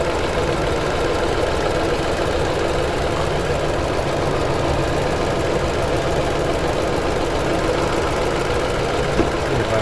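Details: 2009 Toyota Tundra 5.7L V8 idling with codes P0300, P0305 and P0307, VSC and traction lights on, and 4Lo flashing; a steady idle with a faint irregular knock and stumble, a misfire with its cause unconfirmed.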